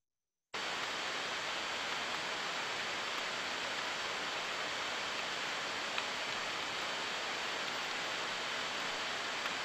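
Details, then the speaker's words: Bearing on a rotating machine heard by ultrasound: smooth, even rushing hiss with only a couple of minor ticks, regular and steady with no rhythmic defect; normal bearing running, judged correct. "donc voilà ça c'est la signature d'un palier correct"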